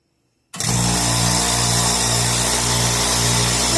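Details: Craftsman oilless 60-gallon air compressor, first start after repair: silence, then motor kicks in to steady loud hum with hissy rattle on top; running normally.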